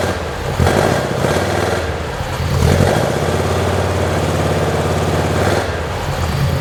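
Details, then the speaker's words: 1972 Saab Sonett engine, seller says overhauled by previous owner, idling after a hard start following months of sitting: after a couple of blips it settles to a steady, even idle with no knocks or misses; normal idle. "I think the motor runs really nice once you get it started um like I said he he uh the old man said he actually um overhauled the motor and and it runs great sounds great"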